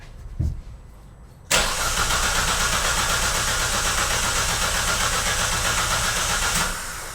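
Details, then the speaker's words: Engine cranked on the starter for a compression test, with a clamp ammeter on the battery-to-starter cable and ignition disabled so it cannot start; even cranking at about four pulses a second with no skips, current settling around 90 A, compression healthy. "Bem, pessoal, agora eu vou dar partida e vamos ver quanto que vai aparecer de amperagem na pinça perimétrica."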